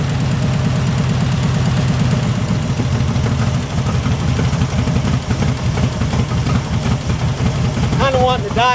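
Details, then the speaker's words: 1974 Jeep CJ5 rock crawler, first start after sitting 4–5 years: deep slow idle that wavers and stumbles, sounding starved; owner will raise the idle until varnished stale gas clears, cause suspected. "a little bit to adjust the idle a little bit up until I get some of that varnish and stretch gas running through there"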